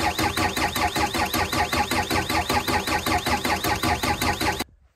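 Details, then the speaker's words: Six-and-a-half-ton diesel digger, stopped suddenly three weeks earlier, cranking steadily at about two and a half beats per second but never catching; ignition being tested, battery conserved. "I would crank it for a bit longer but I just I really don't want to flatten this battery"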